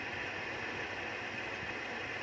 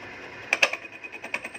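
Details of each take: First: Lathe turning a welded crankshaft arm end repair in hard steel: even, steady cutting hiss with no squeal, knocking or rhythm changes. Normal finishing cut. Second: Lathe turning the welded end of a repaired motorcycle crankshaft, first out-of-round pass: cutting hiss with sharp clacks about six per second as the tool hits the weld bead, harder than the steel; interrupted cut.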